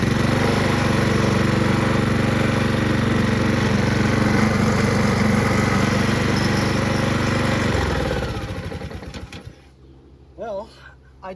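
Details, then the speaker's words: Honda HRR216 Harmony II QuadraCut push mower with blades removed because they caused heavy vibration: even, steady drone with no shake or miss, then engine cut and spins down; normal running. "it's not bad oh no gas in it now but that's pretty good so you know what I took the blades off cuz it vibrates so much to show people that it works and stuff it's better to have it smooth"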